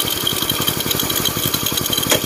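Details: Win (Indonesian) single-cylinder motorcycle after engine rebuild and clutch work, test run: quick, even putter about twelve beats a second, no knocks or clutch rattle; smooth, healthy idle with no clutch whine.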